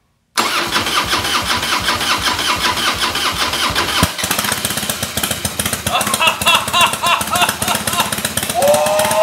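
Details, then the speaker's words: Carbureted, air-cooled 88-inch Harley-Davidson Fatboy Softail, unused 5 years, first start after a new petcock, using starter fluid: it runs unevenly with a ragged, loping beat and only stays running on choke. A carburetor problem is suspected; cleaning is next. "Well, the petcock worked. We got her to run, but only on choke."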